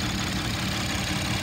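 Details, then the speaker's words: 2015 Ford Taurus Police Interceptor AWD, 3.5L V6, 45,000 miles, warm after over an hour of running: steady, even idle with no knocks or misses and revs up nicely; the AC compressor never engages and the AC blows warm. "it's idle smooth it revs up nice the automatic transmission engages but the AC blows warm"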